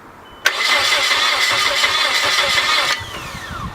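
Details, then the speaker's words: Junkyard Nissan 240SX rebuild, trying to start, distributor just timed, fresh Mobil 1 full synthetic oil: the starter spins the engine evenly for about two and a half seconds but it never catches, because the ignition harness was not plugged in. "try to fire it up it didn't start because we didn't plug it in"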